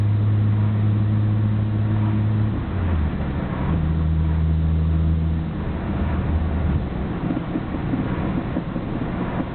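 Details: Nissan Skyline GT-R BNR34, stock Getrag manual gearbox with Nismo clutch, recorded windows open: low, uneven rattle over idle that shifts with revs. It is abnormally louder than before and lags after pressing the clutch. Unchanged after gearbox oil change; overhaul considered.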